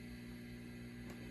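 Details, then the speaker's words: 1976 silverface Fender Deluxe Reverb with original electrolytics before re-capping: low constant hum with a buzzy overtone over faint hiss, some picked up from the reverb circuit; the power supply filter capacitors are suspected. "as you can hear I think you could probably hear that there's a fair bit of hum there I'm going to pick up a little bit from the Reverb circuit"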